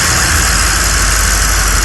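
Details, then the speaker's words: 1987 Corvette at idle with A/C on, pressures steadily climbing: even rumble with a thin, constant high hiss over it; a strange sound from the car, cause not pinned down. "There's a strange sound coming out of the car, as a matter of fact, at this point."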